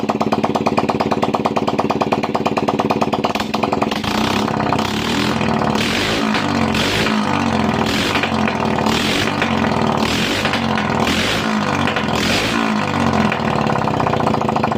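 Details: 2009 Yamaha Jupiter Z, 9 years old, after engine teardown for white smoke with piston replaced only (no rebore), run without exhaust pipe: open-port single barks crisply through throttle blips, returns to steady idle; healthy, no knocking or misfire.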